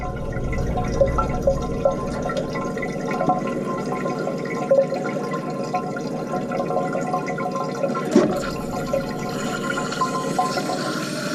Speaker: And then you can hear that it's running. So that's what it was doing. More extreme cases, it'll actually run like that.